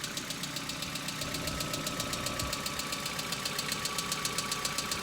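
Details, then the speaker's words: Hyundai Accent about a minute after a cold start, not yet warm: sharp, even ticking about four per second over idle, which the owner calls hydraulic lifter knock; it now comes more often and lasts longer, driven like this three to four years. "Это сейчас гидравлические толкатели клапанов. Многие говорят, что так ездить не следует , но я езжу уже три года, может быть, четыре , и, кажется, никаких проблем пока не возникало."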